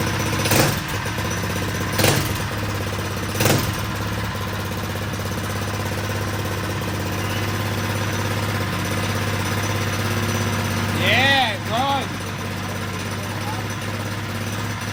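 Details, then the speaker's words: Predator 212cc non-hemi engine built to stage 3 (billet flywheel, billet rod, cam) on a mini quad, first start with fuel on and choke: a few sharp pops, then a steady single-cylinder drone; fresh engine running normally. "run sounds good though"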